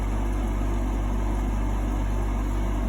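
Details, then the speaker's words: GE AHEK08ACW1 air conditioner, three weeks old, that kept kicking off and beeping, after the control board was bypassed; a steady low hum with an even, unbroken drone and no rattles or cycling, kicking on and blowing cold. Normal running. "well as long as it's kicking on and it's cold cool it's cool and it's hot"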